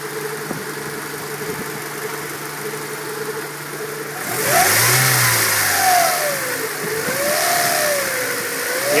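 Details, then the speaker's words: 1994 Integra GSR B18C1 revving: steady whine rising and falling with revs, appearing after a timing belt change; fixed by properly tensioning the belt. "it's been making this whining sound now I don't know if it's my timing belt is too tight or something else"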